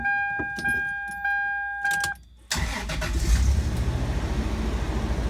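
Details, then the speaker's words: Toyota 4Runner after donor engine, transmission and full wire harness swap, second startup: warning chimes, short crank, then catches cleanly into steady idle, slightly high with no airbox fitted; starts and runs fine. "She's alive. She's alive."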